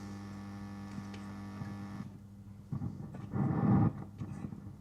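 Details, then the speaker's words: Vacuum tube amplifier on a cold start after about 1 hour 15 minutes off: a steady low mains-type buzz comes through the speaker right from switch-on. The owner suspects the valve sockets (wiggling V5 caused it) and needs to re-clean them; not confirmed. "Uh, so we'll give it a cold start now. Um, and let's have a listen. Instantly buzzing. You hear that?"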